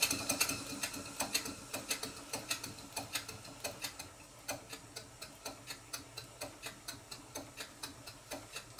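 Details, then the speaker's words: Stuart Twin Victoria miniature steam engine, 2014 kit, rebuilt and still running in and a bit stiff, at low speed: light sharp ticks locked to shaft speed from play of the connecting rod fork on the crosshead and big-end side play on the crank pin. "slight knock that you can hear is playing the connecting rod Fork on the cross head and also side play in the big end of the connecting rod on the crank pin"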